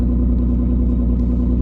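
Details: 2016 Nissan Maxima, 301,000 miles: very loud, deep raw drone at steady idle instead of muffled hum; exhaust escaping through a rotted hole on top of the pipe; exhaust leak.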